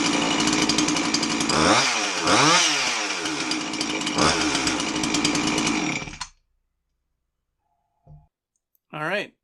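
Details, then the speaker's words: Husqvarna 350 chainsaw after replacing a holed fuel line (it would not start): revs climb and drop cleanly over a few throttle pulls, crisp exhaust, no misfire or stumble before shutoff. Runs fine. "it didn't run too bad all it needed was that hose"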